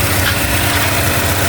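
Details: Peugeot 206 that had no-start and a fuel leak, now running, with a new radiator and water pump but low coolant and a weak battery; charging system good: steady even idle, smooth low thrum, no knocks or misses; normal idle.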